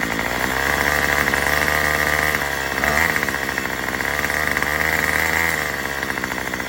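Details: Murray M2500 two-stroke trimmer, run on a new carburetor kit and spark plug before mixture tuning; buzzy, uneven revving with speed sagging and surging instead of holding clean. It is bogging down.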